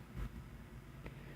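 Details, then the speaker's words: 1931 Emerson desk fan model 29646 at 110 volts after cleaning the oily speed-control contacts: soft, steady low hum on low speed with no knocking or scraping; fan motor running normally. "we're gonna go ahead and turn it on low and we'll move this to low there we go and the motor works and that's how low"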